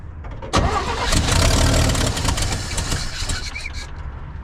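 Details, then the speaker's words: 1965 Chevy C10 with a cheap eBay carburetor, suspected to lack a working accelerator pump: the starter churns about four beats a second (starter and battery good, owner says it sounds like zero compression), then stumbles, reluctant to start. "Also, when trying to turn the engine over, starter's great, battery is great. This sounds like it has absolutely zero compression."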